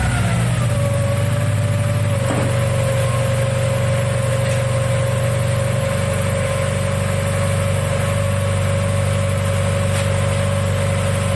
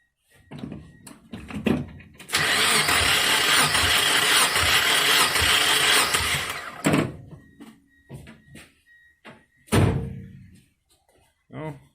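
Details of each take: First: 1997 Mazda Miata after head gasket replacement, first start: steady, even idle with a smooth low rumble and a constant faint whine, no knocks or misses; running healthy. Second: 1997 Mazda Miata during head gasket replacement: uneven, lopsided cranking beat during compression test, two of four cylinders making compression (the middle ones not), about 117; suspected blown head gasket.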